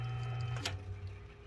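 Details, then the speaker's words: 1977 Kmart box fan after restoration (repainted black), fan motor run bare with blade removed on its highest speed: smooth low motor hum, steady, no rattle or scraping, brief knock as it's handled; healthy motor. "Let's put this bitch on. Let's turn this fan motor off. There it is on its highest speed."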